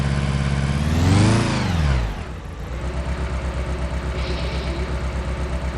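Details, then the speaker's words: Engine idling unevenly with a stumbling pulse after a rev flare at start; codes for cylinder 1 misfire and injector 1 circuit (P0201); misfire traced to the cylinder 1 injector. "You can hear the engine is misfiring."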